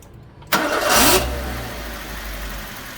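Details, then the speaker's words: Suzuki Swift engine misfiring on start-up after fitting a K&N universal air filter from a Fiesta; catches then sags into a low, uneven rumble that nearly dies, struggling to hold idle; no check engine light, smells of petrol. "Oh, she's misfiring. Yeah, she don't like that. She does not like that at all."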